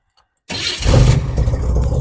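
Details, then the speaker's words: 1988 Chevy S10 Blazer, abandoned: silence, then starter catches and engine fires straight up into a steady, even low rumble after reconnecting the neutral safety switch; normal start. "I just hooked that neutral safety switch back up and flipped it and fired right up"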